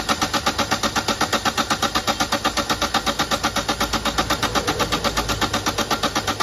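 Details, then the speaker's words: Toyota Etios diesel that was misfuelled with petrol, fuel drained and diesel filter assembly replaced: starter cranks steadily, about four even pulses a second, for over six seconds without firing; long crank from injector back leakage at return lines. "গাড়ি প্রচুর round নিচ্ছে, start হচ্ছে না, sorry round নিয়ে প্রচুর round নিচ্ছে, স্টার্টই হচ্ছে, সেটা আপনাদেরকে দেখাচ্ছি।"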